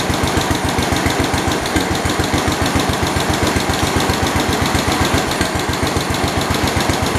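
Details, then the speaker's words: 1972 Homelite T10 tractor: smooth regular beat slightly above idle, no skips, rattles or knocking; engine sounds healthy, though the generator light stays on and it isn't charging. "it sounds really good sounds good and healthy"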